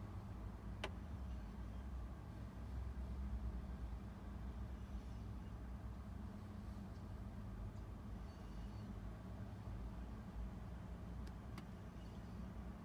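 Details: 1997 Jeep Grand Cherokee ZJ with error codes 12/55, misfire, no spark, stalling and no-start: a deep, uneven idle with a lumpy, stumbling beat. Weak ignition coil suspected, not confirmed.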